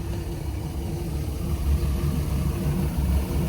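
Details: 2020 Tahoe 700 boat, MerCruiser 4.5L 250 hp with Alpha One drive, 156 engine hours, just started at the dock with the drive partly down: low, steady burble with an even beat, nothing knocking or ticking; healthy normal idle.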